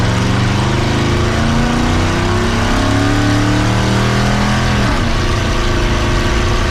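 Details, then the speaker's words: Healthy 5.0 turbo-swapped Ford Ranger after a new wiring harness was fitted: deep, strong V8 pulls hard under load with rising revs and a clean shift, no misfire or stumble; running better than ever. "It sounds like it's doing fantastic. Maybe you got this thing all figured out, got a new harness on it. Running a lot better than it ever has."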